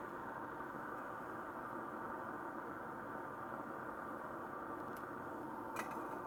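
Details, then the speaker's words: Coleman 226 lantern, pumped up and lit, tip cleaner working: steady, even burner hiss with a little spitting, a couple of faint pops and not much pulsing. It burns normally. "there she is spitting a little bit but we're all right"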